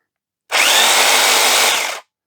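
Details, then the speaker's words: Vintage electric sander bench-tested after passing a safety test: high buzzy whirr with an uneven, lumpy edge, less smooth than a Bosch sander. Possibly runs on bushes rather than bearings; it still works. "we'll start with the sander we'll plug it in we'll power it up and we're showing a pass and we'll give it a run oh that sounds a bit Lumpy"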